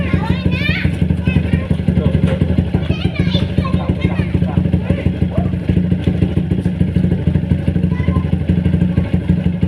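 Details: Motorcycle idling after service with Uma Racing HP3000 fully synthetic 4T oil; faint regular tapping rides on the exhaust beat, engine knocking still present, cause unclear.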